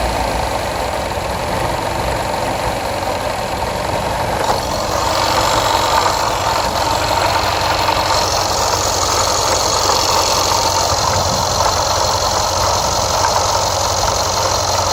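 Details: Jaguar XFR AJ133 5.0 V8 misfiring on the rear bank, cylinders 5-8. Codes P0300, P0306 (always first), P1315, P228F fuel pressure regulator too high, P00C6. Uneven, lumpy idle with stumbling beat about three times a second. Engine misfire.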